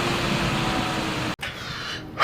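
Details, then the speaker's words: Alienware Aurora R4 desktop at power-on, fans said to run about 3,000 rpm with little intake airflow: steady airy roar with a low hum underneath, then drops away; loud fan noise. "they have the loudest craziest for 3 000 rpm fans in these things too seriously every time you turn it on it makes this sound"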